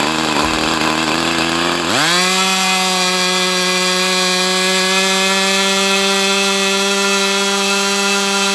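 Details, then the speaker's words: Brat 28 model glow engine running very hot: a harsh buzzing howl rises to a high steady whirring scream, then the engine dies. Compression is still present; some unknown internal drag is suspected. "It's just like there's some kind of drag somewhere because you have this really high-pitched whirring sound."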